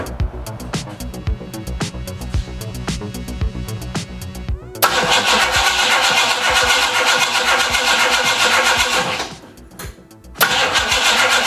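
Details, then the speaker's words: 1968 Mustang just after installing an MSD distributor at top dead center on cylinder one: the starter churns steadily at about four turns a second, but the engine never fires; it cranks and doesn't start. "all right tried to start start it cranks over fine I checked nothing's contacting anywhere um weird"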